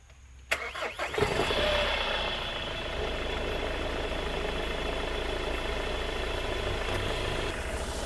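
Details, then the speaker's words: Hyundai Starex after valve lifter replacement, microphone placed close to the engine: cranks briefly, catches, then settles into a steady even idle with no ticking or tapping; quiet normal start and idle. "So ayan na po, yung tunog ng makina. Hindi po katulad dati kapag nakalapit yung microphone ko dito, dinig na dinig po yung ingay ng makina. Ngayon po, hindi na siya maingay, oh."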